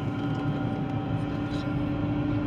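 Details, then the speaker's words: 2013 GMC Terrain driving: steady mid-pitched whining roar over road rumble that doesn't change when loading and unloading the wheels; traced with chassis ears to the transfer case. "I'm driving this vehicle it has a roaring noise I don't know if you can hear it or not and I'm a whining roaring type noise"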